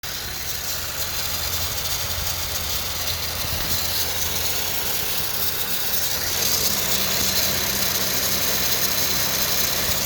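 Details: 2013 Honda Civic EX-L idling: fast, uneven buzzing rattle over steady hum, began after belt dressing on serpentine belt, at startup, idle and running; belt, tensioner, PCV valve replaced, VTEC solenoid cleaned, unresolved.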